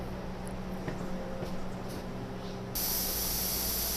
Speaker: When I say venting, guys, this is what I mean. I don't know if you can see that. Yeah, you can see the steam.